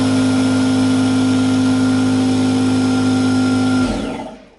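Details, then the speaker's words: Typical conventional competitor air compressor, said to average 90–100 dB, compared against the 60 dB California Air Tools 8010ALFCAD: loud steady droning whine with fast even pumping beat, then spins down and stops; normal running noise. "Now, let's go ahead and compare that and listen to a typical competitive model that averages between 90 and 100 decibels. Very difficult to hear something."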